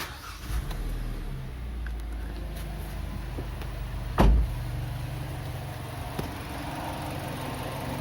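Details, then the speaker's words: Kia Sportage 2.0 with G4KD engine after an engine rebuild for piston knock (pistons and skirts were worn), first start after reassembly: it idles with a smooth, even low hum and the piston knock is gone; normal idle. "стук поршней не слышно работает Ровно шуршит"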